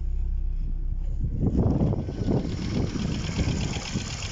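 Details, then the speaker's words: Vehicle idling normally after fuel pump live wire burnt out from low voltage; fault traced to electrical wiring after tracker fitted, not the fuel pump, bypassed directly to battery. Low, steady rumble, even idle, no stumbles or misses. "This is not something of my expertise, but as you can see, I at least found the problem. And vehicle is idling."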